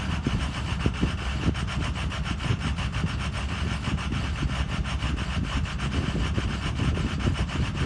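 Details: Ford Excursion 6.0 diesel at idle: rasping, uneven clatter with small stumbles, intermittent, occasionally settling to normal at the end; rough idle.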